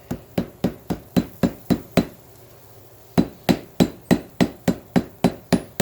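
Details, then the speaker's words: Hammer forge welding of steel cable for cable damascus: steady blows about three and a half per second, a pause, then more blows with a firm ring as the weld goes solid. "You can literally hear how it goes solid."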